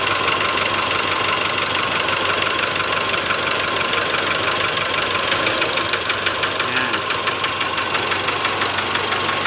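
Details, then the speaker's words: 2008 Mitsubishi Strada Triton GLS diesel at idle, cylinder-cut test: rapid, even metallic tak-tak knock over a rough idle that gets louder with injector one fitted and is absent on cylinders 2–4; likely piston slap in cylinder one. "Jadi kemungkinan besar ini terletak pada penyakit di piston nomor satu seperti itu ya"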